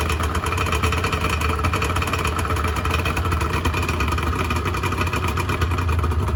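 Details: 1986 Honda NS400R 400cc two-stroke triple just started after 11 months unused, fan cooling the radiator; even, crackly burble settling into steady idle, no knocks or misses; healthy, oil light on (owner suspects bad oil level sensor connection).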